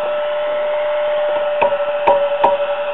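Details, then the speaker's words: Circa-1949 Precision E-200-C RF signal generator, audio modulation oscillator section under repair: steady ~600 Hz hum breaks into crackles and pops when the old tube is tapped; microphonic vacuum tube. "tapping on the old tube it's obviously microphonic and you can see the waveform on the"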